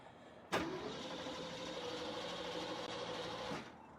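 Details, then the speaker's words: 1977 Jeep CJ5 AMC V8 with dirty, dusty quadrajet carburetor cranks steadily about three seconds without firing after just running; flooded, carb suspected junk. "oh she's flooded she's flooded either out of this carburetor's junk i just had it running"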